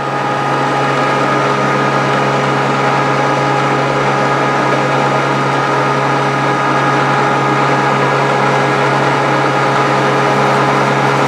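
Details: Grizzly G0458 drum sander just reassembled after breaking down: steady, even motor hum with smooth conveyor belt drone, no knocks or rubbing; running normally.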